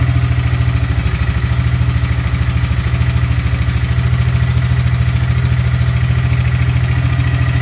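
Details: EZGO golf cart (1994-2008) with freshly fitted 625cc 23HP big block upgrade engine, test run: deep, even thumping at steady speed without misses or knocks; running normally.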